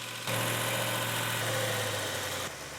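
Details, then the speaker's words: Rebuilt numbers-matching V8 at first fire-up, 80 psi oil pressure, temperature starting to rise while warming up: steady even idle with a smooth low rumble, no ticks, knocks or squeals; healthy engine. "Sounds really nice. Any leaks, squeaks, rattles, knocks, clicks?"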